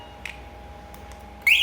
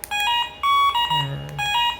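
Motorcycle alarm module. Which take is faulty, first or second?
second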